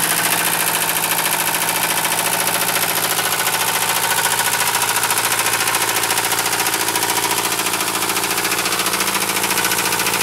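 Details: Mercedes 220D diesel at idle: diesel clatter with a hard fairly regular knock, roughly 105 a minute; rod knock after the engine was run low on oil.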